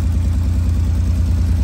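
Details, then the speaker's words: 1985 Fiero GT idling with a low, steady note and a slightly uneven pulse, an occasional skip; plugs and wires were already replaced, there is an exhaust leak, and the owner suspects the distributor cap or rotor. "I mean, the motor don't sound all that bad, but there's a skip."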